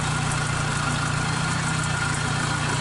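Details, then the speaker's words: Suzuki Katana carbureted engine that shook hard from one dead, black-fouled spark plug, after the plug was replaced and the carburetor and ignition timing were set. A cylinder-by-cylinder check shows all normal; steady, even idle with no misfire. "oke normal juga yang keempat oke Ada perubahan berarti normal juga dan normal semua"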